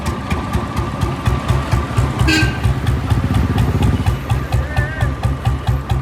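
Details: Royal Enfield UCE 350 single-cylinder after engine overhaul at idle: steady, even thump with no knocks or misses; engine sounds healthy.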